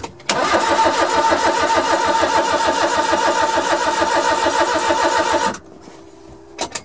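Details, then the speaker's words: Suzuki Carry mini truck, first turnover after sitting, fuel pump heard, distributor not yet installed so no spark: five seconds of steady even cranking, no clanking or stuck-valve sounds; mechanically sound. "well i heard the fuel pump nice it's turning over nice nice all right well that's a good sign"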